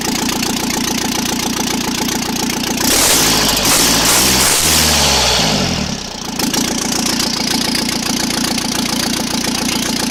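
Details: First start after repair without turbocharger, exhaust manifold, most sensors or cooling system: loud raw bark from open ports, but firing steady and even with no misses or knocks; exhaust felt per cylinder is uniform, repair successful.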